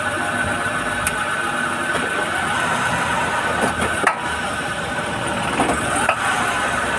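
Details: Honda Fit clunking when shifting into drive and reverse: steady idle broken by a few single dull thumps a couple of seconds apart as gears are selected; cause unknown.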